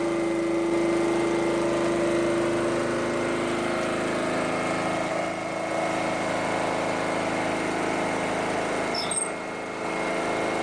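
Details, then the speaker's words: Petrol generator unused about 5 years, converted to propane fed where petrol entered, choke off, speed set by bottle valve: steady even hum with no surging or misfires; running smoothly on propane. "That generator hasn't run for about 5 years. So what you have to do now is you have to gently regulate it on the bottle to adjust the speed of it."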